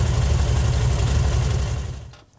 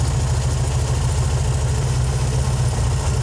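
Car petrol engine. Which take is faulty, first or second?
second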